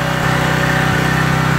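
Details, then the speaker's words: Craftsman 2700 psi pressure washer with Briggs OHV engine: loud labouring drone sagging about every 0.7 seconds under load as the pump unloader isn't working, jet possibly adjusted too far; unloader to be pulled and cleaned. "okay the young loader isn't really working that's what you're seeing that's what you hear you hear it really loading down"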